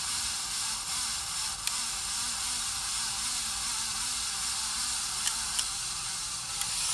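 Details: 53" Casablanca Spirit Of Saturn ceiling fan, recorded 2018: even steady hiss with faint wavering hum underneath; rough dry noise from bad bearings, later replaced.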